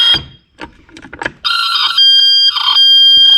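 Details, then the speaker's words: 1971 Mercedes-Benz 280 SE (W108) mechanical fuel injector on a hand-pump test bench after repeated pumping to clean it: sharp, high-pitched sustained chirping buzz, injector now opening and spraying properly, injector saved. "Hear that? Oh, that's how it's supposed to be. It's gotta be. Yeah. So that one's been saved."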